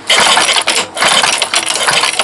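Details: Two-stroke engine with spark but no start, spark plug wet; pull-start bursts rattle and never catch. Fuel blow-back is visible near the intake on the air filter side; a bent reed (petal) valve is suspected of letting fuel blow back and flood the engine.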